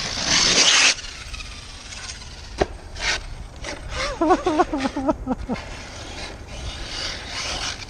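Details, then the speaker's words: Arrma Kraton 6S RC truck with V3 shocks: ragged scraping bursts and warbling motor whine on throttle blips; cracked front diff case letting crown and input gears slip and grind, mesh loosened, teeth intact; later repaired. "yeah nice nice even dampening on both sides oh my gosh that sounds so nasty"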